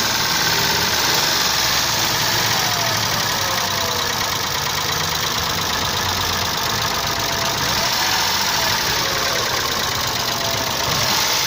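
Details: 3.2 6VD1 SOHC 177hp engine at idle: a fast, busy ticking sits high above the engine hum, from the hydraulic lifters. The owner suspects counterfeit oil, since the knock disappeared on a different oil.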